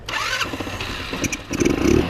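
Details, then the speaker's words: 2006 Yamaha touring Strata RX150 GY6-type scooter that sat a long time: a few ragged bursts, then it settles into a steady run; cause was bad gas. "oh there we go well gang check that out man it was that simple we just had bad gas"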